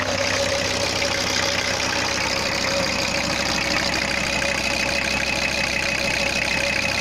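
Steady diesel idle with an even, light clatter and no stray knocks or misses; the engine is running healthy.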